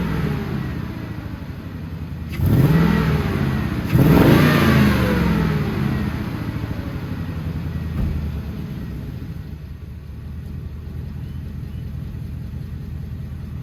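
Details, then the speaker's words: HD truck "Holly" V8 after a coolant leak repair, temperature not above 210, check engine light still on: steady idle burble, then two sharp revs that rise and settle cleanly, no knock or squeal; healthy running, no leaks. "sorry for the audio ahead of time but hasn't gone over 210 it's running and driving pretty good"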